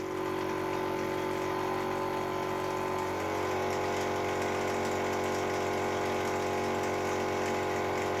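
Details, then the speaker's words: Air compressor test run after replacing a blown head gasket with a homemade gasket: steady motor hum with an even pumping chuff about three and a half times a second, settling as pressure builds; runs normally. "i'm going to call that a success because it would basically just keep running essentially gets gets um"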